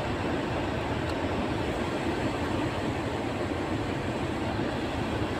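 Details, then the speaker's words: Renault Megane 2 with AC on after repairing the HVAC flap motor's broken gear: steady blower and engine rush with no tak-tak tapping; flap actuator running quietly. "şu anda o klimadan dolayı gelen tak tak ses yok"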